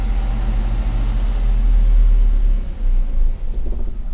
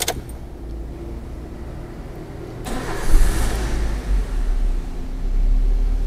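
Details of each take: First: EFI car with P0105 code, after fuse F and relay F fixed: engine catches, runs a low rumble couple of seconds, then falters and dies; stalls right after starting, traced to fuel pump relay. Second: EFI car that cranked but would not start, code P0105; after replacing faulty fuel pump relay, starter whirs briefly, engine catches and settles into even idle, though check engine light stays on indicating remaining EMS fault.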